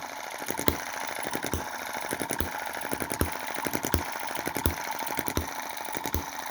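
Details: Cheap Chinese M19/EM2 desktop hit-and-miss engine, carb inlet reduced with metal putty: sharp firing pops about every three-quarters of a second with lighter coasting clicks and a small pop of smoke. Healthy hit-and-miss running after tuning.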